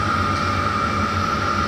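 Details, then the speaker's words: 5 kW diesel air heater in a 28 ft motorhome, replacing the LP furnace, once lit its constant drain stops the charger overcharging the batteries: even, steady whoosh with a constant high hum, no knocks or rattles, fairly quiet, normal running. "so I've got a that's it's fairly quiet"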